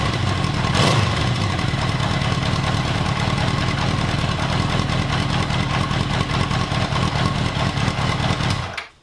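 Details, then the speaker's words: 1979 Honda CB750 K four-cylinder, carbs freshly cleaned, rebuilt and bench synced, idling after cold start with choke: rhythmic bouncing "dun dun dun" rise-and-fall cadence before shutdown; carbs possibly unsynchronized, to be checked with vacuum-gauge carb sync. "i don't know if you guys can hear or pick up on that weird kind of cadence that it has going on it's kind of like a dun dun dun dun dun dun it's bouncing back and forth"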